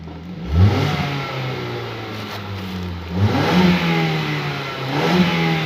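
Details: 2016 Ford Escape after throttle body cleaning (was dirty, stuck-open throttle actuator code, cylinder 1 and 4 and random misfire codes): idle picks up cleanly into smooth throttle blips and settles back without stumbling; normal acceleration after repair.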